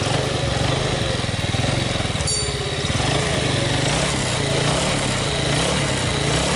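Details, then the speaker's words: 2006 Yamaha Vega R new motorcycle after engine teardown and parts replacement for a harsh, rough-sounding engine: steady, even single-cylinder putter at idle, no knocks or rattles; runs smooth and settled. "Oke teman-teman untuk di Yamaha Vega ini udah kelar dan udah hidup dan mesinnya juga udah halus"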